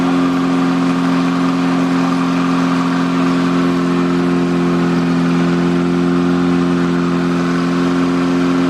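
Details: Freshly rebuilt air-cooled VW Beetle flat-four at fast idle for cam break-in (2500 rpm, 20 minutes): a smooth, steady hum with an even low note and no ticking or knocking. Sounds healthy.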